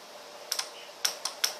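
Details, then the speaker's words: Relay switching clicks: 6 V coil side controlling a 220 V load circuit, magnetically isolated; sharp, dry clicks at an uneven pace, about seven in under two seconds, as the contact closes to the other terminal; normal operation. "you hear the clicking sound of the relay that is the contact moving closing a circuit to the other end to the other terminal"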